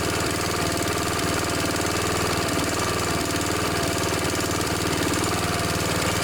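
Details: Snapper SR1028 riding mower, Briggs & Stratton flathead single, warmed up with air filter fitted, before carb tuning: steady thrum with even firing beat, no misses; running smoothly.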